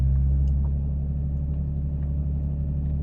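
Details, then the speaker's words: Toyota 2JZ with throttle lock and throttle motor delete (DBW delete) mod, in Drive after restart following stall: fast steady high idle, even low drone, no dip; car later dies on its own under full throttle. "all right title was high again we're in Drive"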